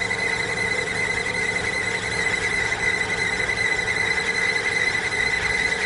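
A steady high-pitched squeal holds at one pitch for the whole run without letting up, pointing to a squealing timing belt.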